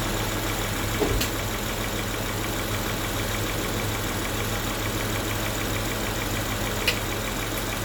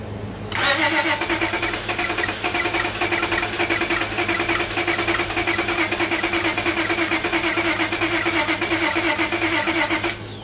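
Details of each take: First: Towed-in car that had water-contaminated fuel, first startup on normal fuel supply with fresh fuel, acetone and fuel treatment cleaner added: smooth even idle with a couple of small clicks, no misfire or knock. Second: Car towed in with crank-no-start, water-contaminated fuel found; cranking with new spark plugs: long steady cranking about ten seconds without catching.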